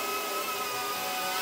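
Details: DJI Pavo Pico Version 2 with the fixed configuration, DJI FPV Remote Controller 2, flying after a crash flip and reset: steady high-pitched whir from the small motors, smooth and even with no stutter; healthy flight.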